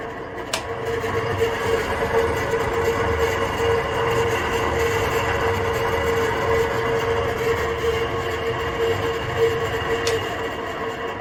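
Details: Kitchen sirocco ventilation fan over 20 years old, run continuously against condensation, sometimes stopping; steady drone with rough scratchy rattle and faint whine, noise varying by day (loud or metallic); motor suspected worn, before oiling the motor.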